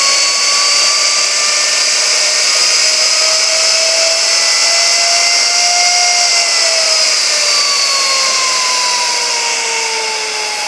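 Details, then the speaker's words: 45,000 RPM high-speed ID grinding spindle on a newly acquired grinding machine, air-cooled via rear air filter; steady high-pitched whine with smooth rushing tone, no grinding or rumble, like a rocket taking off. Normal, good shape. "sounds like a rocket ship taking off seems to be in good shape in fact this entire machine seems to be in pretty good shape"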